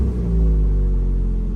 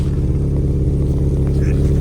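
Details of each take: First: 1986 Honda Prelude Si after fuel and thermostat fixes, unresponsive throttle, heater hose coolant leak; revs fall away after a blip and settle into smooth steady even idle with no hunting; normal idle. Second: 1986 Honda Prelude Si at idle, which varies between about 1000 and 1500 rpm, heard at the rear: rough spitting puff on the exhaust note from a hole in the exhaust.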